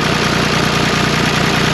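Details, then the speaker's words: 1974 John Deere 350B bulldozer diesel, started after the return-line check valve ball and spring were removed to fix stalling: steady, even low clatter at idle with no misses or stumbles. "but let's fire it up and see what it does so far so good"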